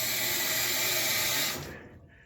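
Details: Maytag top-load washer (MVW4505M/MVW5035M) restarted after lid lock restored and lid closed: steady rush of inflowing water cutting off cleanly after about 1.5 seconds; normal fill.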